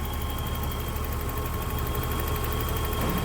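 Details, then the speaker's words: 1984 BMW 325e inline-six, 105,000 miles, idling with hood open: warm engine holds an even, steady low hum with no knocks, misses or ticks; purrs smoothly, a healthy idle. "You can hear how that just purrs. Great running BMW."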